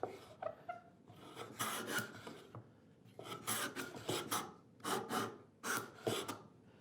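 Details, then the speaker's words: Hand plane on end grain: short rasping strokes with a rough, stuttering scrape instead of a clean cut, the plane skidding and chattering from sole friction, backing off the iron; can set up a high-pitched harmonic vibration. "sometimes when you planing this end grain you'll hear this very high-pitched vibration a harmonic set up an"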